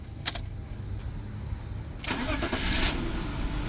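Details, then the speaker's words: BMW 523i E39 at startup: brief crank then uneven, lumpy idle with irregular pulses and visible engine shaking; air mass (MAF) sensor reported faulty by seller, cause not confirmed. Rough idle. "ตอนนี้นะครับอาการเนี่ยเครื่องสั่นจะเห็นว่าสั่นนะครับเดี๋ยวไปดูข้างหน้าการเครื่องสั่นนะครับ"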